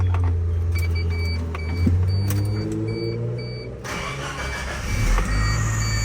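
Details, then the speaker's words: Cold start of a 1996 Suzuki X-90: heavy low rumble with a thin high belt squeal cutting over it, extremely loud cold start. "oh yeah listen to that belt squeal oh yeah that's got to be the loudest cold start I have ever heard in my entire life"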